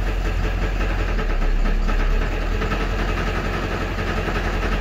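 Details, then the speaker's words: Ford 7.3 Powerstroke diesel idling in neutral with an uneven, loose rattle from the bell housing over the engine clatter; it goes away in reverse. The noise has lasted for months, and the transmission is being pulled to find the cause. "you can probably hear that now it's starting to rattle doesn't sound good"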